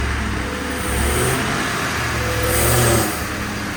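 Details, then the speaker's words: 1966 Ford F100 on a 2010 Crown Victoria chassis, fuel pump switched off, running only on a small squirt of starter fluid: rough uneven surging and sagging, about to die; fuel starvation. "could be running out any second that's wild that it's still running with just that little squirt no G F looking in the back cuz the fuel pump is off sounds like she's getting ready to"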